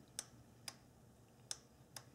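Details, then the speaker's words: 1997 Nissan Maxima EGRC solenoid valve (P1400) bench-tested with battery leads: four crisp clicks each time power is applied, plunger moving freely, valve working correctly. "we should hear a clicking noise if we do the valve is working correctly if we do not hear a clicking noise then the valve is bad"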